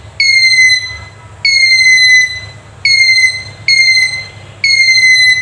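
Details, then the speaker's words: Handheld metal detector after its faulty buzzer was replaced, battery refitted: clear high-pitched beeps in even bursts, about five in five seconds, as a metal part nears it; detector alerting properly. "अब मैं ये metal की एक जो part है इसको इसके पास लेके आऊँगा तो आप देखेंगे कि इसकी आवाज़ सुनाई दे रही है।"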